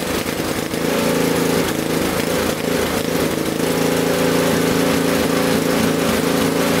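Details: Honda 520 snowblower bought on eBay, near new, that would not start because of a gummed carburetor. This is the first start with fuel and ignition on and choke out, after cleaning the carb in place with GumBuster. Steady, even drone with no misses, surging or knocking; running cleanly.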